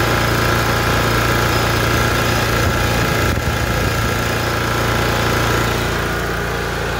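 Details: Lawn mower after its leaking valve cover gasket was fixed with silicone; bolts had vibrated out and oil dripped onto the exhaust. Small engine idles smoothly with a steady low drone, no misses or knocks; running normally.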